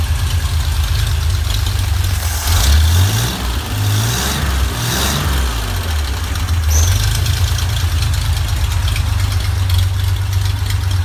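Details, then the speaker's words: Rebuilt GMC 305 V6 on a run stand with an expertly rebuilt carburetor and high-zinc break-in oil (cam already broken in): it catches, revs briefly, then holds a deep, steady idle with no knocks or misses. "that is why you have an expert rebuild your carburetor this thing purs like a kitten"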